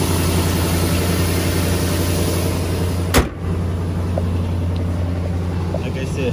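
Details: 2004 Nissan Titan V8, previously crank-no-start, after fuel tank removal and refit: even, low engine drone with a steady beat and no misfire or knock; running smoothly and normally.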